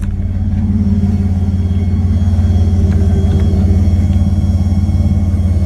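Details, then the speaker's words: Dodge Dakota after new turbo fuel system install with Walbro pump and a torn injector O-ring replaced, no leaks: steady even idle rumble with a thin constant whine from the loud but working Walbro fuel pump. "Truck is running and idling really, really good. The Walbro is very, very talkative."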